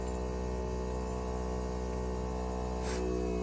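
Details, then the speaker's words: American Standard heat pump outdoor unit in defrost cycle, fan off; steady compressor hum with layered, heightened tone as pressure and heat build in the outdoor coil to melt ice; normal defrost cycle. "So you hear the heightened sound. That's the buildup of pressure and heat in this outdoor coil, which enables the defrosting to take place."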